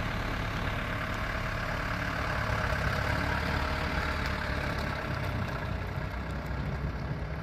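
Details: 1994 Toyota Dyna 4x4 diesel fire truck, 4,200 original miles, regularly maintained, recorded outside near the engine and fuel tank: steady low diesel clatter at idle, even, no knocks or misses; healthy idle.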